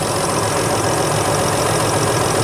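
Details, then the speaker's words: 2011 Chrysler Town & Country 3.6 L after AC compressor replacement, engine idling with AC on: even steady hum, no knock, squeal or rattle from the compressor, clutch cycling; normal idle. "all right so as you can hear the engine is running everything sounds good we're good to go"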